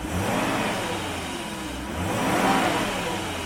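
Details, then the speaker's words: 1995 BMW 530i E34, M60 V8, 5-speed manual, after intake manifold vacuum leak repairs and a new PCV valve. Catches and settles into an even idle with a brief rev swell, no stumbling; after 20 minutes of idling and revving, no check engine light returned. "all right happy to report after about 20 minutes of idling and revving no check engine lights returned engine is running beautifully"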